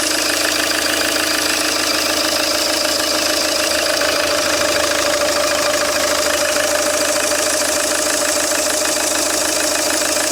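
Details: Peugeot 807 2.0 HDi 110 diesel at steady idle: a sharp, regular knock of about three per second; engine knock of unknown origin.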